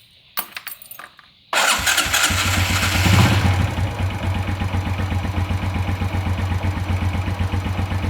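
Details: Motorcycle, after checking fuel, spark and compression and refitting the spark plug and plug cap: a few clicks, then the starter catches and the engine fires straight into an even, steady idle with no misfire.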